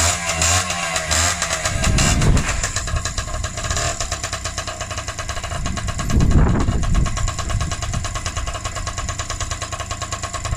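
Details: Freshly rebuilt Honda QR50 two-stroke started outdoors in the yard, oil topped up, little petrol in, new carb fitted: crisp steady rattle picking up cleanly on two short throttle blips; normal running.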